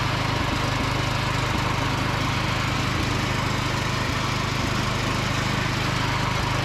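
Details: Free John Deere D110 riding mower after repair, driving with mowing deck engaged: small engine holds a steady, even beat at mowing speed, no misses or surging; normal running under load.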